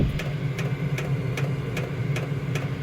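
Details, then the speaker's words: Vevor diesel heater at power level 6, drawing about 5 A at 14 V: a sharp, even fuel pump tick about every 0.4 s over a low burner hum. This is normal operation, though the pump noise is a common complaint. "One of the complaints about these heaters is that noisy fuel pump. You hear it?"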